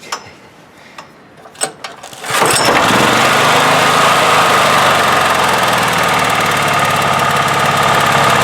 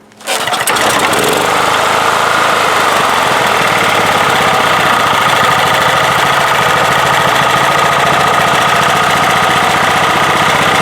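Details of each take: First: 1997 Honda EB5000 generator with cheap non-OEM carburetor, air restricted, on auto idle with 1500 W heat gun plugged in: clicks, then catches and settles to an even idle with faint constant whine, no more surging. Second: 1997 Honda EB5000 generator fitted with a cheap non-OEM carburetor: it starts quickly and runs with a busy, slightly uneven note, and revs lift when the intake is partly choked. The mixture is lean from too much air, fixed by taping off half the intake.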